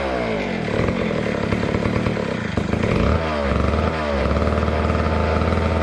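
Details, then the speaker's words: Neglected old McCulloch Super 250 chainsaw two-stroke, revived after fuel down the throat with air filter cover off: buzzes steadily, revs dip and pick back up cleanly without stumble; running normally. "as you saw with the 250 we got it up and running really nicely it it purred along and um seemed to run fairly well"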